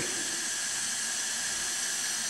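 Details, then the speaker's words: Craftsman self-propelled mower, 6.5 hp Briggs & Stratton, engine off, leak-down test: 40 psi in reads 25, 50 gives 30, 60 a little over 30; steady high-pitched hiss of air escaping the cylinder, bad compression leaks. "so that's definitely got some pretty bad leaks and you can actually hear them"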